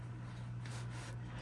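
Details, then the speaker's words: RCA "Briefcase" television during restoration, brought up slowly on reduced voltage to 90 volts as the raster starts to appear: steady low buzz from the speaker with no music or speech; vertical sweep audible through the speaker. "All right, we're gonna bring it up to 90. You can hear the vertical through the speaker."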